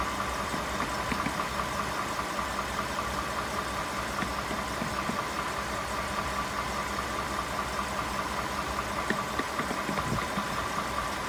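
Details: 2018 Ford F150 5.0 idling with light uneven tapping at roughly two or three per second over the engine; knock present, cause unknown.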